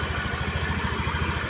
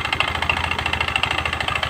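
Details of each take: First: Honda Spacy scooter that ran very rough, now started with the fan removed: steady, even, smooth idle with no rattle, showing the rough noise came from the fan. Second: Honda Spacy scooter brought in for a very rough engine noise after another shop replaced the connecting rod and bearing; idling, source traced to the cooling fan/magneto area: quick, even metallic clatter from a loose cooling fan rattling on worn fan bosses.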